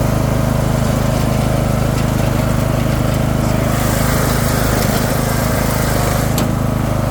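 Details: Craftsman II lawn tractor with a swapped-in, much newer single-cylinder engine and a bad key switch: steady, even beat at fast idle with no misses or knocks; normal running.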